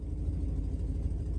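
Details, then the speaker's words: 1966 Ford Thunderbird on the road after coolant system, water pump, fuel pump, radiator, alternator and ignition work, with a known exhaust leak; deep, even rumble at steady cruise over bumps with no knocks or rattles, sounds healthy. "sounds good we're hitting bumps we're not hearing nasty rattles that's good"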